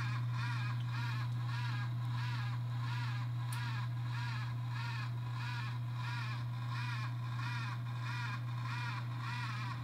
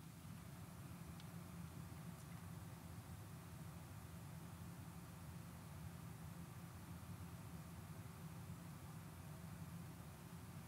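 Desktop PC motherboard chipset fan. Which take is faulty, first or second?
first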